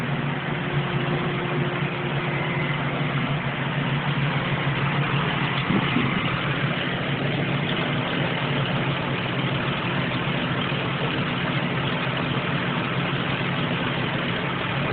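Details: Ford Windstar with a vacuum leak at the upper intake: rough, noisy, uneven idle with a steady hiss over the engine note.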